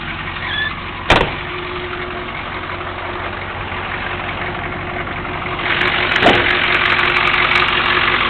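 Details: 1983 Chevy Suburban Silverado 6.2 diesel, first start after glow plugs via dash button, hood open; steady diesel idle with even clatter, a couple of handling thumps, nothing irregular in the running.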